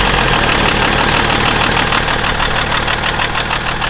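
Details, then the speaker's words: BMW E61 530xd with M57 diesel at about 400k km, morning cold start: loud clatter with an uneven, lumpy beat. The timing-chain rattle wasn't heard this time; faulty injectors are suspected. "But I think he has an issue with some of the injectors, because it's running a little bit rough."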